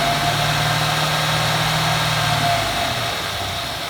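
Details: 2014 Ford F-150 4x4, hood open, phone set in engine bay, revving in place: steady high scraping squeal like nails on a chalkboard; first only when cold, now constant; undiagnosed.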